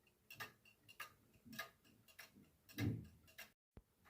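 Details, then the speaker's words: 1940s Manufrance box clock with Saint Etienne chimes and a standard 1940s Girod movement with long pendulum: ticking intermittently goes out of beat, then recovers. Nearly half the escape wheel teeth are short or bent, a fault present as received. Worn escape wheel. "If you stand next to this clock and you closely listen to it ticking, you might notice that at some point it gets out of beat and then it comes back to normal. Nearly half of the escape wheel teeth are shorter or bent."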